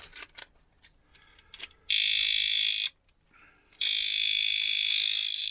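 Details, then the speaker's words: Oxford motorcycle disc lock suddenly goes off: after clicking and handling, a piercing high-pitched electronic alarm blares in two loud bursts; the disc lock alarm is sounding and is hard to disarm. "oh do you did you hear that this is what it was it was this that had decided to go on"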